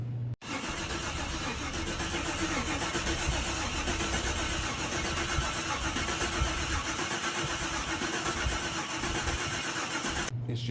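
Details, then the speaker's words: 1995 Chevy G20 conversion van, first start attempt after about 15 years parked, new battery fitted: starter cranks steadily for about ten seconds with no firing; fuel pump not heard priming, owner suspects failed fuel pump. Crank, no start. "cranking and cranking and cranking. So, I'm thinking the fuel pump is out. I don't hear the fuel pump coming on."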